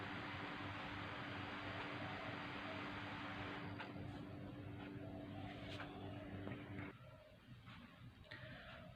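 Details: MSI laptop fan, removed and cleaned, tested on a bench power supply: faint even hum, then winding down, with no scraping or ticking; the fan runs normally and is usable.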